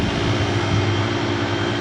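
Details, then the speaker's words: Old Traulsen fridge with its water jacket removed, fitted with a condenser coil from a walk-in cooler, rewired, R134a, just switched on: steady low compressor hum with even tone, condenser fan running, no knocks or rattles; normal compressor running. "running everything's running get a condenser fan pulling out that air"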